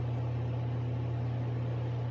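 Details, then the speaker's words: ILG Industries Model 83 8-inch panel mount exhaust fan, new old stock, 4-pole high-slip motor 1550 RPM, 115V 60Hz 0.72A, at full speed after O-rings replaced steel motor-shaft spacers: steady smooth quiet hum, no drumming; normal running. "i don't hear any drumming it just sounds smooth and quiet"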